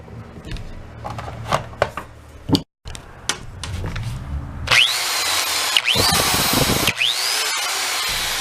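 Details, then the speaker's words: DeWalt drill after replacing a burnt armature with one from a donor drill: spins up to a steady high whine rising and falling with the trigger, no grinding or stutter; running normally after repair. "Wow well I'd say it drills pretty good"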